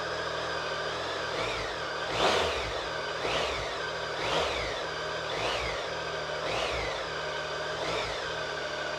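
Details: Triumph Tiger 1050 Sport, just reassembled and first started: even idle broken by crisp throttle blips about once a second, revs climbing and falling cleanly with no misfire or rattle; healthy revving.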